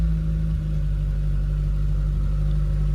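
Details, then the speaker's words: VW Polo breadvan carburettor engine, old rubber flange had been leaking, mixture and choke settings still being tweaked; choke off, steady drone idling a touch fast. Slightly high idle. "Saying that, he's not bad. See, the choke's off. High idle a bit."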